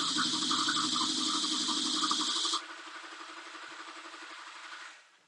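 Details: 2004.5 GMC Sierra 2500HD, 6.6L LLY Duramax diesel, stalled and now cranks without starting: even cranking at about four beats a second, never catches. Fuel rail pressure falls short of desired; fuel gauge is inoperative, possibly out of fuel (unconfirmed).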